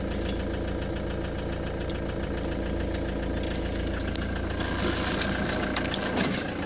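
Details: Ford Transit 2.4 Duratorq 2005 van diesel at idle: loose, uneven knocking through the clatter, roughly three or four knocks a second.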